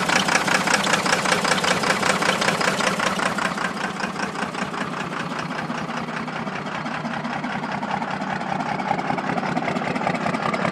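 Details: 1993 first-gen Cummins diesel idling with a rough, lopsided clatter and steady loping beat; dead miss on cylinder 2 caused by a blown head gasket with a nickel-size hole between #1 and #2 cylinders.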